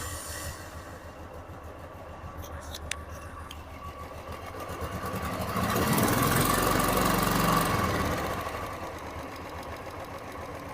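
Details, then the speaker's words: 2015 Royal Enfield Classic 350 with 9,000 km, after replacing the faulty hydraulic (tappet) that caused engine ticking: a steady, even idle thump with no top-end ticking, briefly swelling then settling; the noise is now silent. "जहां तक मैं सुन पा रहा हूं इसकी आवाज जो है बिल्कुल साइलेंट हो चुकी है क्योंकि इसमें हाड खराब था और इसलिए हमने वो चेंज कर दिया"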